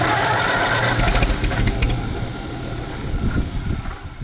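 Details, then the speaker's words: Ex-roofing-company tractor with no choke, started cold: engine fires and chugs unevenly, wants to run, then its beat sags and fades as it dies; stalls without choke until choke is given. "Well, you can hear it wants to run. Oh, I shut the fuel off. Or no. Oh, I guess I didn't. All right. Give her some choke, put you down here."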